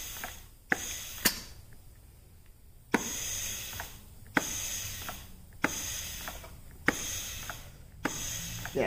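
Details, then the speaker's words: Pontiac TH350 transmission, dry air check of clutch pistons: repeated air blasts with sharp clunk and trailing hiss past cast-iron pump rings; piston stays applied, seals doing their job, normal. "hear the hiss and the cast-iron rings in the housing of the pump that pumps up and of course that one stays up but that's my rubber tiptoes is also sealing on that and the seals in here are doing their job"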